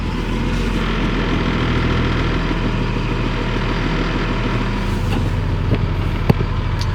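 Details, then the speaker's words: CAT 336 excavator reported not starting in cold after sitting, about 0 degrees: cranked rather slowly but fired right up into a deep, steady, even diesel idle with no misses. "And it fired right up. That's a classic."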